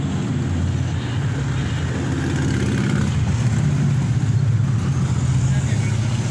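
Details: 2013 Toyota Vigo Champ diesel pickup idling after alternator replacement for a noise at the engine front; steady, even low rumble with no rattle or chirp.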